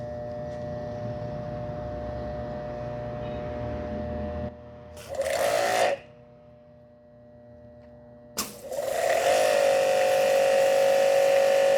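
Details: Hanabi 8003 pressure washer (induction motor, 127V, 60 bar) switched on after air was purged from the hose: a low hum drops away, then a high, steady motor whine settles at an even pitch. It runs normally, if louder than the earlier version.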